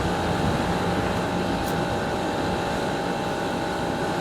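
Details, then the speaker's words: Garage air conditioner running after a new capacitor: steady, even hum with a constant fan whoosh and no rattles or cycling; normal running. "it's up and running runs real nice now with the new capacitor we're in business"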